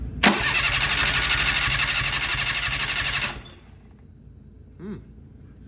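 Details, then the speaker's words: Mitsubishi Mirage 1.8L DOHC turbo engine, oil priming, cranked with spark plugs in but not firing and throttle open: even, strong cranking beat about four pulses a second for three seconds; healthy, even compression. "healthy wow sounds like she's ready to party"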